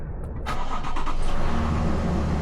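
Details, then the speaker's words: 2022 Toyota Tundra, long-parked and jump-started cold: engine cranks, catches and settles into a low, heavy idle with a dull knock underneath; engine knocking, later replaced. "Oh yeah, you can hear it."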